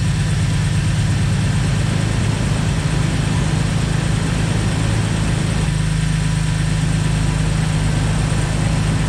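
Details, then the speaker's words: 2004 Jeep Wrangler TJ Rubicon after a heat-soak fix (fuel rail heat shield kit, six new injectors and O-rings, cleaned throttle body), started to check for fuel rail leaks: a steady, low, even idle with no misses, ticks or knocks. Normal idle. "so we're gonna see if the fuel rail leaks this time I'm going to start it up"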